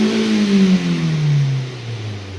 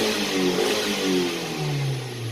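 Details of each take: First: Car with an engine light after stalling while driving, about 156,000 on the odometer (unclear). A hard rev in park drops off with a ragged stumble; the scanner counted cylinder 3 misfires, traced to a spark plug leaking spark. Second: Hyundai-scanned petrol engine (about 100,000 on it) after spark plug repair and adaptive value reset: smooth, even revving with no misfires. Before repair it had misfires, had once stalled while driving, and the plugs were leaking spark.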